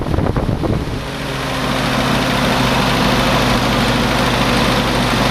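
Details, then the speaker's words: Willys CJ2a Jeep L134 Go Devil engine on test after Best copper head gasket, at somewhat higher speed, burning some oil, rebuild expected soon: slightly uneven run with light fast ticking over it; valve tapping, owner says typical of these old engines. "definitely some tapping in the vals probably not much we can do about that right now and these old engines kind of always sound like that"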